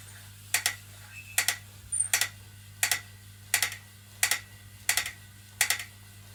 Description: After 1 workout the new BTM spin bike makes clicking noise when pedals turn